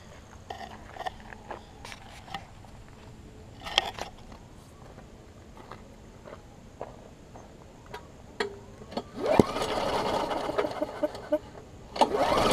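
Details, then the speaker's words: New 2013 Murray push mower that hit a couple of times on first start, then lost compression. On two quick pulls the engine spins freely with no compression, just a weak sputter and spit. A hard piece of rubber was stuck in the intake valve, holding it open. "so you can hear it with no compression and you hear trying to fire that it's just spitting"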